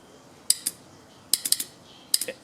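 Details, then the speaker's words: Starter solenoid removed from a small 4-stroke go-kart engine, bench-tested by jumping its positive terminal: sharp, crisp metallic clicks in small bursts as the magnet pulls in and completes the connection; the solenoid works. "that solenoid switch should click in there. That magnet should click and it should complete the connection there."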